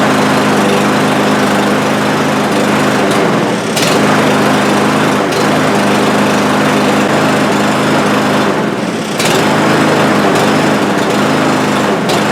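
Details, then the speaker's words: Cub Cadet lawn mower with over a hundred acres of use: it revs up and sags unevenly every few seconds, hunting and stumbling and stalling after starting, as if running out of fuel. "to me it sounds like it's running out of fuel so I'll start it up for you here"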